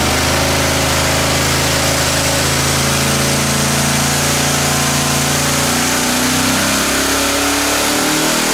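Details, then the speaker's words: Quad-turbo LS V8 on an engine dyno: loud run with an uneven, lumpy drone at low revs that smooths as it climbs; a misfire, bad down low. "so there was a Miss and it was a pig down low you can hear it but in an effort to move quickly we added boost"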